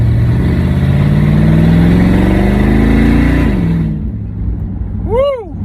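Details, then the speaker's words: LS-swapped OBS short-bed truck with turbo 400, no mufflers, first drive in three years: loud open V8 pulling smoothly with rising pitch on acceleration, then easing off; runs clean, just needs mufflers. "baby she runs good gotta get some mufflers on her now so my first ride i'm pretty happy with it"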